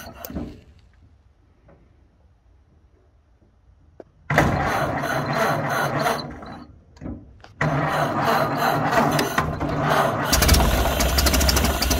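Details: 1931 Ford Model A flathead four, 200.5 cu in, after sitting 67 years. Carburetor and internal filter cleaned following flooding. Slightly choked, it picks up and settles into a slow, soft, even chuff of about three beats a second. Healthy low idle.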